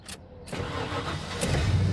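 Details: Auction truck in Phoenix, restart test, battery reading 24: quick crank, catches within a second and settles into a steady even idle; healthy normal start.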